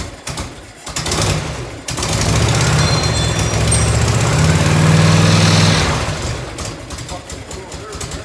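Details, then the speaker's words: 1990 Harley-Davidson FLHTC Evo V-twin, cold start on reserve with choke, primary just reassembled: lumpy idle with light quick ticking about four a second; exhaust leak at a crooked header clamp. "i fired it up last night having a couple little exhaust ticks had one in here"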